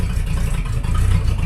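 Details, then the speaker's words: 1976 Ford F250 tow truck V8, first start-up with complete fuel system: deep slow loping idle with uneven low thump near 600 rpm, too low, needs raising toward 800. "it sounds pretty good but sounds like she's idling at about 600 we need to have that up around"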